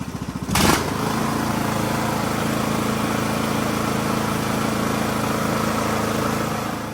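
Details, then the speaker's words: Poulan Pro PP175G42 riding mower that had sat outside for years, key-started on battery cables: it cranks briefly, catches and settles into a smooth, steady idle with an even beat. Runs, idles and sounds great. Normal idle. "But I'll take it. It runs. It idles. It sounds great."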